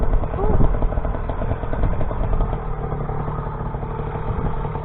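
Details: YD100 two-stroke bike engine on E85/C85, rebuilt after piston blew near 13,000 rpm, re-bored to 51mm piston: steady buzz under heavy wind rumble, no knocks or misses; runs healthy.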